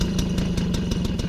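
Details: 1993 MBK 51 Club Salsa moped two-stroke, just brought back to life after a cycle-parts overhaul: fast, even crackle holding a steady idle with no hunting or dying; running cleanly.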